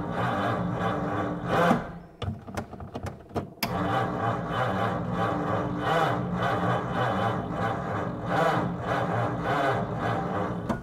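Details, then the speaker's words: 1937 Ford with 85 hp flathead engine and 6-volt system, sat a year: rhythmic ticking under once a second over a low hum as the electric fuel pump primes normally during start attempts. "oh boy come on man this thing got to work I hear the fuel pump it's fuel"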